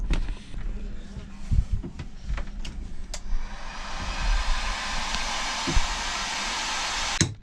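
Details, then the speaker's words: Aluminium sailboat under way: irregular dull thuds under rushing water as the lifting keel slams in its housing. Forum posts suggest this is normal, but the owner is unsure. "You can hear the entire keel just slams in there. You can see the water as well. Apparently, I searched around on forums, apparently it's normal, but it doesn't sound good."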